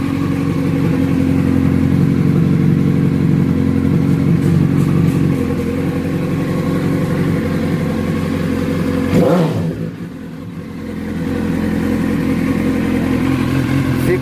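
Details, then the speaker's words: Suzuki SRAD 1000 after tightening a loose part in the clutch system that caused noise at the clutch cover: smooth, even idle with one brief dip and recovery, no clatter; problem resolved. "galerinha Problema resolvido o parou de acabou a moto ficou perfeita"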